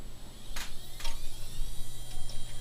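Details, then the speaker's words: Dell Dimension 4600 (Pentium 4 2.8 GHz, 1 GB RAM) with an added 10 GB XP hard drive; steady low hum with a pulsing drone and sharp clicks at power-on: loud noise blamed on the extra hard drive. "makes kind of a loud noise because of the other hard drive I put in it."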